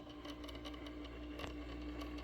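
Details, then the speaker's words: Platter motor of a vintage Audiotronix solid-state portable record player, running with the platter already removed: a faint steady hum with a thin high tone under the room. "that's the motor that would have spun the record platter"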